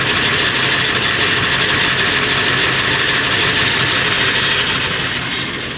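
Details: Late 1999 Ford F350, 7.3L Powerstroke diesel at idle: loud metallic rattle about three times a second over the clatter, more pronounced under the truck; owner suspects flexplate or engine, unconfirmed.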